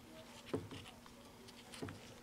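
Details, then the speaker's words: 1952 Motorola 21K1 (TS351) television console, powered up after replacing a leaky 0.047 µF (473) capacitor and using a 6AQ5 tube adapter: faint buzz with a couple of soft clicks and no high-voltage whine. High voltage stays far below the specified 14 kV; a flyback fault is suspected. "there could still be a flyback issue or why is it I don't get high voltage"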